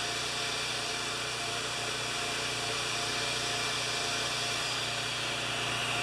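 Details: Champion 3000 W generator, brought in as a non-starter, running without choke after fiddling; doesn't run like new, has been around the block, oil change next. Steady, even drone with a slight rough edge, no hunting or misfire; normal running.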